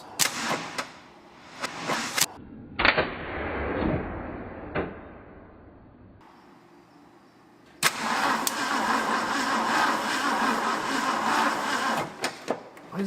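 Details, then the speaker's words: 1962 Ford Thunderbird sports roadster, first start attempt after over 20 years stored: starter labours, turning slowly in uneven bursts; cable connection getting hot, weak cranking blamed on corroded battery cables or low battery. "Is that connection just that bad? Or is our battery that low? Well, it'll probably help if we clean the battery cables."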